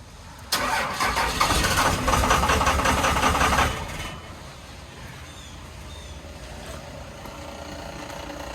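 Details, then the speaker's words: 2000 Dodge Ram 2500 24-valve Cummins with a VP44 pump, after an Airdog Raptor 4G lift pump install, injectors 1, 3 and 4 cracked open to bleed air: several seconds of cranking, then it catches and settles into a quiet even idle. "well truck truck fired up so we can tighten these injectors back down"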